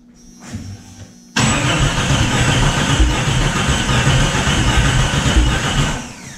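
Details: Jeep Cherokee after fixing a distributor set one tooth off, with top dead center not yet checked. Starter churns, then a loud ragged roar fades without settling into idle. Hard start, engine not catching.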